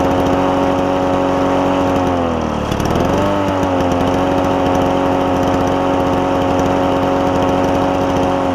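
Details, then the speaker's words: Toro push mower with a two-stroke engine, possibly Suzuki-made, running after carburetor cleaning: high buzzy two-stroke note, steady and even, with one short dip and quick recovery, sounding like a marine outboard; runs cleanly. "he's reading on the forums it sounds like a marine outboard as opposed to a lawnmower doesn't it but cool sound cool sound"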